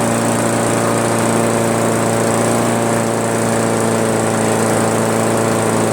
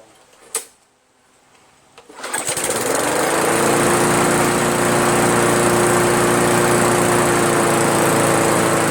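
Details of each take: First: Craftsman push mower, Briggs 158cc, after cleaning carburetor and adjusting the fabricated governor spring tension: steady, even drone around 3000 rpm with no hunting or misses; governor holding speed properly. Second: Craftsman push mower, Briggs 158cc, cleaned carburetor and fabricated throttle governor spring: spools up to a high steady buzz and holds it, revving too high; owner blames the overly strong replacement spring, rebending it.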